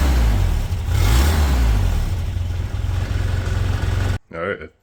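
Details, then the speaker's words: 1985 Toyota pickup 22R four-cylinder, sat over 10 years, idling after exhaust manifold leak fix with new bolts and washers: even low idle pulse about four beats a second, no puffing or ticking; doesn't sound like it's leaking, exhaust very quiet from the rear. "think that fixed it and it doesn't sound like it's leaking it's not nearly as loud if it is uh exhaust sounds very quiet as well from the rear"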